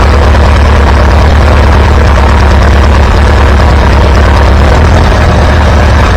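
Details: Antique Farmall B tractor after ignition coil replacement: deep, even low thump, every firing stroke steady with no misses; good oil pressure, running healthy.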